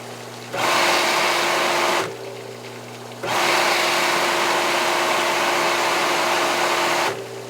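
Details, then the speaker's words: Aqua-Flo XP2E hot tub pump motor after repairing a rattle from a loose bearing spinning in the housing: starts cleanly, steady even hum through low and high speed, no rattle; much quieter, normal run. "Much quieter. So that was a successful repair, friends."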